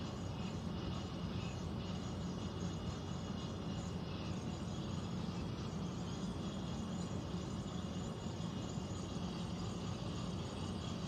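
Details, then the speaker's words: Central air unit heard in the bedroom, seemingly above the closet, owner also wondering about a leak: constant low droning rumble with a faint rattly texture and no speed change. Abnormal air handler noise, cause unclear. "is the sound the air conditioner is making in the bedroom. Sounds like it's above the closet."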